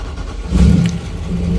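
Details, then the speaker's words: 2002 Mastercraft boat, Indmar 5.7 L, after replacing the oil pump driveshaft for total oil pressure loss: brief crank, catches and settles into a steady even rumble, no knocks; oil pressure restored, healthy start. "wonderful wonderful before it was showing zero the oil pressure alarm would go off so all was good again"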